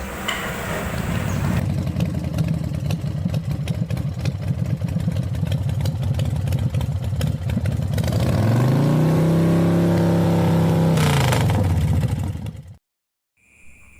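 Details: Motorcycle brought in for service without complaint idles with a quick, even beat, then revs up cleanly and holds steady before dropping back; no misfire here, though at full throttle it stutters with a flashing engine light, traced to a faulty TPS sensor misread by the ECM.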